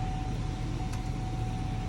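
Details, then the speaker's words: 2019–2022 Chevrolet/GMC 2500 Duramax diesel, first start after fuel filter change and fuel system priming three times: steady low rumble, even unbroken beat, no misses or stumbles, smooth healthy idle. "put on the brake let's give her a go and she fired up"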